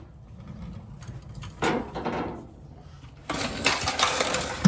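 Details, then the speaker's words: 1977 Chevrolet Monte Carlo converted to in-tank fuel pump, pump briefly powered for test: thin high buzzing whir switches on and holds steady; pump works. "I will give this a dab of juice just to hear the pump kick on."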